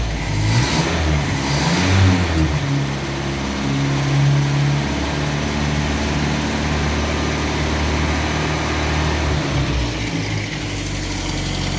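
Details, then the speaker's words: 1962 Land Rover Series 2A 2¼ petrol four-cylinder, first start after over 10 years sitting, new leads, on original stale 10-year-old fuel, smoking: fires, settles to steady lumpy idle with throttle blips, running cleanly; normal idle and revving. "right so that's uh oh that's awesome well needed reset leads on it and it ran on the original stale 10 year old fuel so that's a little bit smoking it stinks awful"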